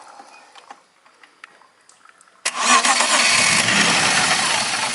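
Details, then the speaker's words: BMW E36 petrol car in a fuel pump diagnosis: quiet clicks, then the engine fires cleanly and settles into a steady, even idle. Normal start; the relay fault was only simulated. "Nah, mau nyala ya teman-teman ya. Mau nyala. Mau nyala berarti kita anggap si relaynya itu rusak."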